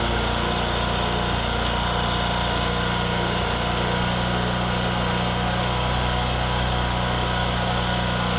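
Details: Discover motorcycle in a clip on mileage and engine sound problems: a steady, even single-cylinder putter with a constant low drone and no knocks or rattles; a healthy, smooth idle.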